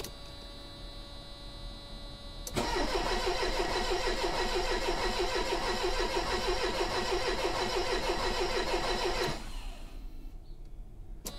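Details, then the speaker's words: 1985 Mercedes 190E, KE-Jetronic: steady starter cranking about three turns a second for seven seconds, never firing; fuel pump heard running but no fuel reaching the injector catch bottle; crank no start. "I hear the fuel pump I just don't see fuel coming out yet"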